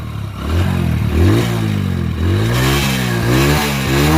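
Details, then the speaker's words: Village bike, single-cylinder engine: started and revved, silencer cleaned out, only light smoke now. Clean blips, revs rise and fall smoothly with no knock or rattle; healthy engine revving. "మీకు silencer మొత్తం clean అయిపోయింది కానీ లైట్గా అయితే వస్తుంది అనమాట."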